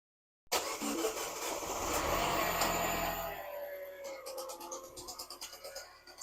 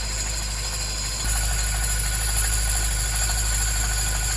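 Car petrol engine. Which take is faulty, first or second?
first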